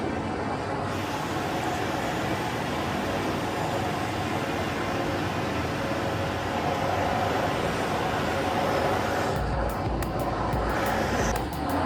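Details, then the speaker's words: Oil burner on a boiler at a service call, pump pressure set to 20; the burner lights about a second in and settles into a steady, even roar with a low rumble, firing normally after the adjustment. "now let's look at the flame I love that sound of the bur is starting up"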